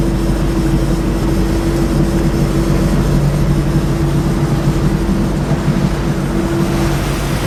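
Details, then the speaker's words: 2006 Bayliner 175, 3.0 engine, cruising at about 3,000 rpm on the lake: a steady, even drone with water and wind rush behind it. The noise is not too bad and the engine sounds healthy and normal. "Now as you can see, at 3,000 RPMs, the noise is not too bad. The engine noise is quite normal."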